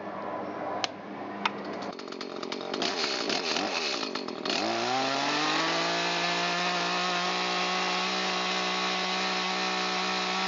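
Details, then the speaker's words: Echo CS-310 chainsaw during carburetor retune, which had bogged and misfired: revs from idle to full throttle, burbling wet at first then clearing to a steady scream "on the pipe", indicating a correctly set high-speed mixture. "Should come up to kind of a wet sounding full throttle, and after a few seconds it should clean up and still have a little bit of barble in it and be what's called on the pipe. So when you hear that, you know you've got it right."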